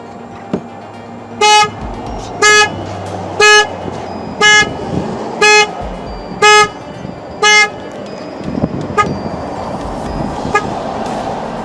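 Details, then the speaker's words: 2003 Saturn Vue 2.2 with codes P1599 and U2107, security light flashing, sometimes won't start: alarm triggers by itself, seven evenly spaced horn blasts about one per second; body control module fault. "i have this saturn and it's got the security light flashing and sometimes the alarm the alarm starts and activates by itself"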